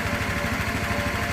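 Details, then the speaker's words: 1984 Honda Elite 125 scooter after auto choke (bystarter) replacement with carb removed and reinstalled: steady, even putter at fast idle hovering around 1500–1600 rpm, spec being 1500, no misses or knocks; normal idle. "Now this tack isn't exactly, perfect, but I've got it hovering right around 1500 to 1600, and that's exactly the way the bike should sound when it's running."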